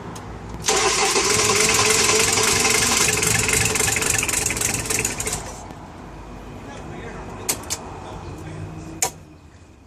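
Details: Engine, likely diesel, cranked cold with glow plugs after timing set to 0.9: starter turns it over about four beats a second for five seconds but never fires; cranks, no start.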